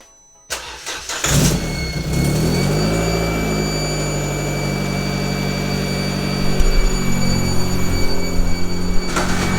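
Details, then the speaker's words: Classic Mini after engine swap, first runs with full exhaust system and oxygen sensors fitted: engine catches and settles into even idle, much quieter than before, with a faint puffing tick from small blows at the exhaust manifold, a leak still to be fixed. "so that is the engine running uh the exhaust full exhaust system much quieter than it was with that one a few little blows on the exhaust manifold i've got to sort out"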